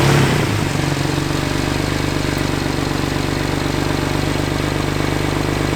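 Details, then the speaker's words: 2009 BMW E90 335i N54 twin-turbo, right after installing new charge pipe, blow-off valve and intake: settles into a steady idle with a light uneven rattle and puffing from a small exhaust leak; otherwise running great. "Don't mind my exhaust leak. I do have a small exhaust leak. That is kind of that rattle or ba you guys hear, but the car sounds like it's running great."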